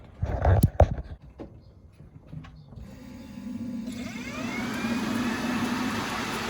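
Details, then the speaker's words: 1991 Honda CRX (EF) with K-series swap, turbo, crank no start: starter spins the engine at a steady even rate but it never fires; no spark, traced to the main relay the previous owner had removed. "so I figured out the last owner told me he had taken out the main relay for the driver's side"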